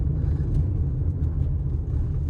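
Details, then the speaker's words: 2016 RAV4 Hybrid XLE (4th gen) driven over a rough driveway after the front stabilizer bar bushings were replaced, following new sway bar links and axle: steady low road rumble with no clunks over bumps. "I don't think I hear the clunk anymore wait let's no clunk no clunk wow wow amazing"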